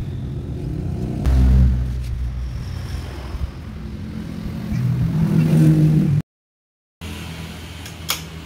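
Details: Yamaha Vixion/Xabre after an engine rebuild (new block and piston, cleaned combustion chamber, valves and new valve seals), valve clearance set to exhaust 0.15 and intake 0.10, compression now normal. An even, quiet idle with smooth throttle blips and no tapping: healthy.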